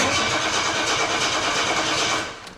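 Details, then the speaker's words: 1984 Jaguar XJ6 automatic sitting 20 years, run from a portable fuel cell: steady starter cranking about two seconds with no firing; cranks but won't start, suspected low fuel, no spark or injectors not firing. "Absolutely nothing. So, either we still don't have enough in the tank or we don't have spark or injectors aren't firing anymore."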